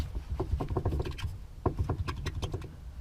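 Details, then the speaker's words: 2010 Nissan Altima hybrid rear sway bar shaken up and down by hand: quick light knocks in two short bursts from worn bushings in U-shaped frame brackets; this noise becomes loud clunking over bumps when driving. "that little bit of noise when you're going down the road can end up sounding like a pretty loud clunking noise it's just another one of the clunks and rattles and shakes that you're going to get or noises you're going to get in a worn suspension system"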